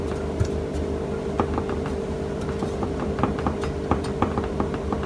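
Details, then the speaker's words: Flywheel (ring gear) for a Jeep Grand Cherokee 2.7 rocked on a flat table: uneven clicking taps show it isn't sitting flat, a warped face with play in one spot; such skew may cause engine vibration. "Это означает, что где-то люфтит. В принципе, эта плоскость, она важна. Вот здесь она важна."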